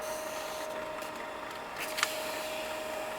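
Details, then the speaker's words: Old Lexmark Optra E312L laser printer feeding from the back: steady mid-pitched hum with a couple of sharp clacks as the sheet pulls in; misfeeding because the paper tray is overfilled. "i technically have too much paper in the printer feed that's why"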